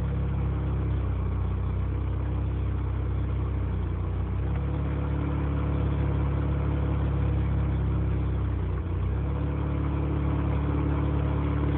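Deep rumbling idle with an uneven, lumpy beat that sags and picks up again; rotary engine idling rough.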